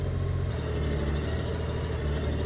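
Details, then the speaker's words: 2002 Honda GL1800 Goldwing flat-six idling after a fresh oil and filter change, oil light out, running a couple of minutes to circulate oil; steady low even idle, no knocks, misses or ticks: normal idle. "Oil light's out. We're going to let it run for a couple of minutes to make sure everything gets circulated really good in there."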